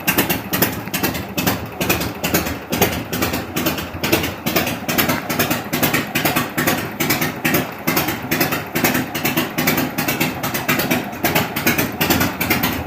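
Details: 1974 Harley-Davidson FLH after pushrod and carburetor adjustment and an exhaust leak fix, at idle and rev: steady loping beat of about two pulses a second, even and clean with no ticking or exhaust puff. A good idle.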